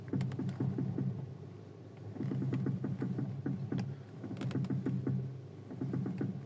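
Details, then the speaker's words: Audi TT Mk2 front suspension while steering: rapid clacking knocks over a low hum, typical of a failed strut top mount (coupelle), before its replacement. "T'entends le claquement là? Ça c'est typique d'une coupelle d'amortisseur HS."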